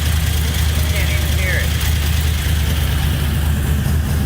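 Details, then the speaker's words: Chevrolet C10 with LS V8 swap, after new lifters, head gaskets and heads to cure a loud tapping: deep, steady, even idle with quiet valvetrain, only a tiny normal tick. Normal idle with oil pressure about 50. "quiet as can be wow you hear a tiny bit i think that's kind of normal"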